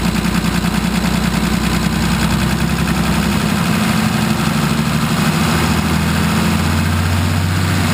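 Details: Nissan SD33 turbo diesel in a 1980 International Harvester Travelall, running after an oil, fuel and air filter service with the fuel system primed and air bled; steady, even idle with smooth low clatter, no hunting or stumbling; normal idle.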